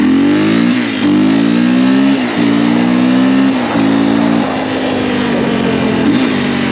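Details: 2004 KTM 450 EXC single-cylinder ridden after new forks fitted, not fully warmed up, long unridden, dead battery: clean drone rising and falling smoothly through gear changes, no knocks, rattles or weird noises; normal running, no carburetor leakage.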